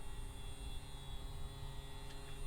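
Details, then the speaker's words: Fresair 12V rooftop air conditioner on a RAM Promaster 2500 van, first power-up from a car battery, as the pump starts pulling water up the tube. A steady, low, even hum with no rattle or surging. Normal pump running. "So we can hear the pump activating. The pump is now pulling water"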